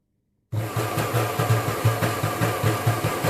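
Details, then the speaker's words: Kenwood Chef mixer after repair of burnt-out fault, reassembled: motor starts and hums evenly with a soft rattle pulsing two or three times a second from the insecure, loose speed knob; machine works. "Sounds like it's not secured very well. The whole knob is moving around."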